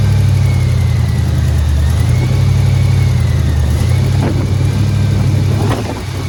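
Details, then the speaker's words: 1989 Dodge three-quarter-ton base-model truck, with almost no fuel in it and primed, just after first start: steady even engine drone at constant speed with no knocks, misses or smoke. Running cleanly. "look at that fellas and girls we got a running shop truck [Music] man that's exciting"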